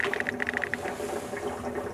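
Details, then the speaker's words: Electric water heater being drained with power and water off and the T&P valve opened to let air in: irregular watery gurgles and bubbling. The tank is draining normally. "You should hear it start draining. Gurgling, draining. So she's draining down now."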